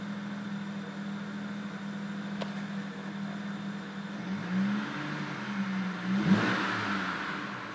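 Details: BMW 335i rough idle: low steady hum wavers and sags, idling around 800 rpm and dipping as low as 650; unstable idle, cause unclear.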